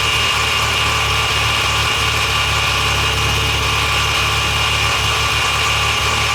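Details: Mazda FD RX-7 rotary after rebuild for lost compression, newly installed with new transmission and exhaust attached: rapid, even buzz with steady low throb and no misses or knocks; settling into a stable idle.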